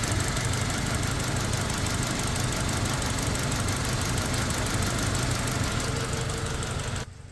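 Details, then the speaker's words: Toyota Fortuner petrol (likely 2TR) on gas/LPG, warm, accelerator blipped, mic near exhaust: steady idle with quick gas-injector ticking over an uneven stumble, stumbling on both fuel and gas; cylinder 2 dead, rat-chewed injector wire, misfire. "อันนี้แก๊สนะสะดุดทั้งแก๊สทั้งน้ำมันครับนี่เป็นแก๊สแล้วหัวฉีดแก๊สจะชัดหน่อยนะเสียงมัน"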